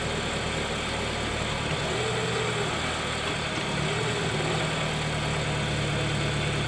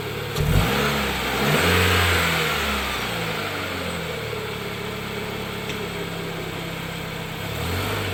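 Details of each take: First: 2013 Dodge Dart, passenger-side engine mount sagging over an inch, started and shifted into gear and reverse; steady idle with low droning shake and uneven throb: worn engine mount, replaced with cheap aftermarket mount. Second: 2013 Dodge Dart after replacing the noisy passenger-side engine mount with a cheap aftermarket one: engine revs up and drops back to a steady even idle, no clunks or shudder; mount holds engine firmly. Finding: normal idle.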